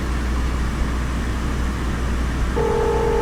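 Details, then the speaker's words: 2005 Subaru at salvage auction, jump-started: engine fires right up, then over the idle a steady two-pitch electronic tone as the car's emergency call system automatically dials emergency services. "she fired right up didn't she call connecting to Subarus darling emergency services wait what all may be recorded or monitored"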